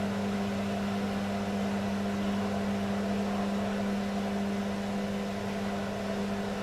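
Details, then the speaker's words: Beko washing machine, full load of dark clothes, Ariel cap detergent: constant low droning motor hum as the drum tumbles heavily through thick suds; motor labouring in a suds lock. "whoo you can hear the sound of the motor it's not good it's not good the sound of the motor"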